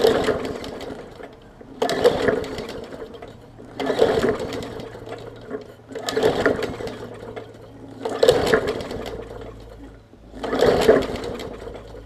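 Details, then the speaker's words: 2014 Bolens push mower, Briggs OHV engine, leaky carb needle and seat, fuel line clamped: repeated pull-start bursts every two seconds, coughing without catching; heavily flooded, spitting fuel from carb. "so so so i think she's very very flooded you see it's spitting out today carb on this one"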